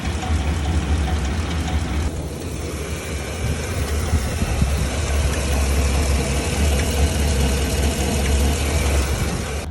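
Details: 2015 Chevrolet Silverado 2500HD, engine warmed up and the whole truck shaking, recorded on the loudest side: rough idle with a dull clunk and lighter tick about three a second; previous owner reported a bad engine; engine clunk and tick at idle.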